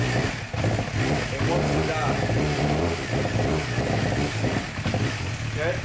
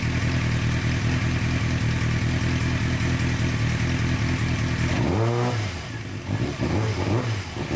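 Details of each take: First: 2007 Suzuki GSX-R 600 that sat outside for months after losing power, air box removed: idle holds, but on throttle opening the revs stumble and nearly die. Blocking the intake hose doesn't help; plugs then fuel are suspected. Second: 2006-2007 Suzuki GSX-R 600, long stored, after fixing the servo connector, warmed to about 130 degrees: steady idle, then a quick rev rising and falling cleanly without cutting out; slight remaining stumble but revving healthy.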